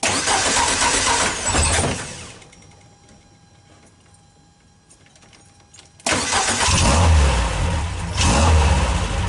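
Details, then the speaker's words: 1974 Volkswagen Karmann Ghia with dual IDF carburetors, after starter connection repair: starter spins quick and even for about two seconds, then after a pause the engine fires and revs; healthy starter cranking. "Not only does it seem to engage all the time, but when it spins very quickly."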